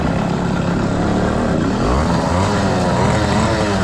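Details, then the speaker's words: Brand-new 100cc two-stroke motorized bicycle engine: raspy drone stays flat and wavers instead of climbing under throttle, bogging as if starved for fuel; owner believes it runs lean: engine bogging. "I think it's lean for sure the way on the motor it bogs down it's definitely lean because it runs better with a little bit of soap"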